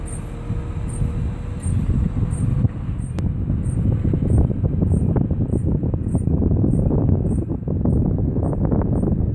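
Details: Faint high metallic ticks, about two a second, over road and wind rumble while driving; suspected wheel bearing, actually a loose brake shim scraping the rotor.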